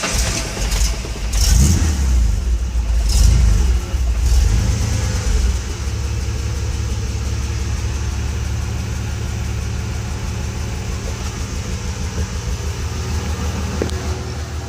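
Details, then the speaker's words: Ford 300 inline-six converted from EFI to carburetor, full 2.5-inch exhaust, idle aimed around 800–900 rpm; starts after pumping the gas twice, settles into a steady, even, tractor-like idle with no misses; normal start and idle. "she does run in it sounds pretty decent it does sound like a tractor though I have to admit"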